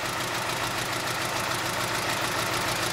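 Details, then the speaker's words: 2010 BMW 320i, 2.0 16-valve petrol engine, idling rough with irregular stumbles about three a second and oscillating rpm: misfiring badly, check-engine light on, heavy exhaust smoke. "Eu já vi ele tá falhando bastante luz de injeção acesa uma vela porta eh E aí Oi Thalia falhando bastante motor oscilando"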